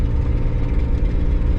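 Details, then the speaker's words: Nissan R31 Skyline six-cylinder on first drive in years, loud deep exhaust drone under load in second gear, throbbing unevenly from an exhaust leak. "all right we're going we'll shift oh second yes you can hear that exhaust leak"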